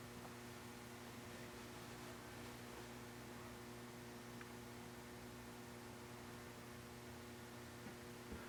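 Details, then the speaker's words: St. Louis Fan Company Swirl Series model 1905 36-inch ceiling fan on lowest factory variable speed control setting, low-speed trim unadjusted: low, steady electrical hum, no wobble or rubbing; normal motor hum from the speed control. "Nice low speed. Yeah. Little bit of hum. It's got that like stereotypical variable [Music] speed that I remember some fans in my childhood having."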